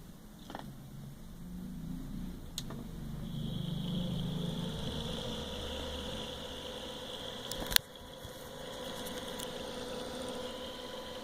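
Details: Old Zalman computer cooling fan on a fan controller: low buzzy rattle under the whirring, tone shifting as speed changes.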